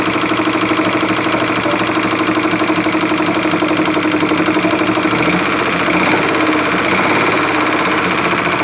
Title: SUZUKI F5A DEFECTED CAM SHAFT KNOCKING SOUNDS